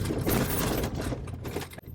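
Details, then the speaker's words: Gen1 Ford Raptor on a rough-road test drive: fast jangly rattle from the RAM tablet mount's loose locking mechanism; planned fix is foam behind it, possibly rubber later. "So that rattle is right here. It's a little locking mechanism. Makes a lot of noise, so we gotta fix that."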